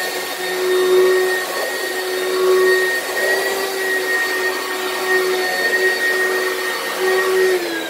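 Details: Used lightweight Oreck vacuum from Facebook Marketplace: a steady motor roar with a faint, wavering high whistle on top. The weird noise is possibly from the fan or the brushroll; the source is unclear.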